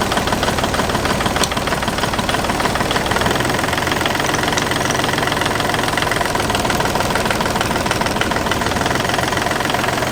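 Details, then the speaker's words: Marine inboard diesel on a boat, idling: heavy uneven shake at about a hundred beats a minute, harsh and clattery; engine sits on a custom metal frame, not original rubber engine feet, likely causing the movement. "there's no rubber here where the engine feet were supposed to be and i think that they have actually mounted the feet underneath here instead"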